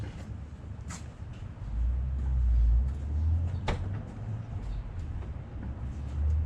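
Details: Jeep at idle after replacing brake booster check valve and grommet: low steady idle with a few light clicks and no whistle or hiss when brake pressed; old grommet was leaking air, booster now seals, believed fixed.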